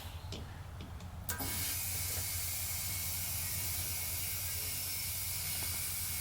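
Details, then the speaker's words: Leaking tire that holds air only two or three minutes: a sudden, steady, loud hiss of air escaping at the leak point without easing off; the tire is still leaking. "oh yeah she's still leaking right right here there it is so yeah we got a good two or three minutes of air on this thing"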